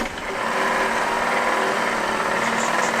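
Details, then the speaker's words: 1929 Dodge engine, not run in 40+ years, on a restored starter: spins fast and evenly with barely any chuffing, only the slightest whiff of compression on one cylinder; very low compression on cranking. "It sounds like there's the slightest distant whiff of compression on like one of them."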